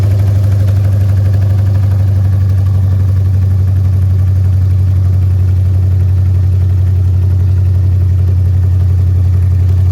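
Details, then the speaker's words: Car at idle after an exhaust leak was tightened, during a 90mm throttle body swap: deep, loud, steady exhaust rumble with even pulses and no puffing or ticking. The engine idles normally and sounds better after the fix. "Y'all can hear it, it's way louder. Y'all can see, it's way louder, sounds way better."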